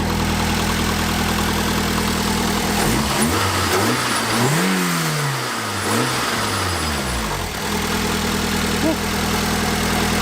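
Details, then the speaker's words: Toyota AE86, manual, daily-driven, first start of the day: steady even idle with a throttle blip that rises and settles cleanly, exhaust neither too loud nor too quiet; normal healthy idle. "what a machine okay yeah it's all the exhaust is not too loud not too quiet let's hear it it's perfect sounds good"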